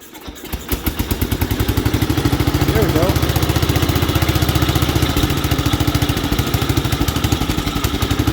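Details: 1967 Gravely 430 sat outside for years, after clearing debris from the ignition points and restarting on choke: steady single-cylinder thump, three to four beats a second, settling to an even run; engine good, not smoking or burning oil.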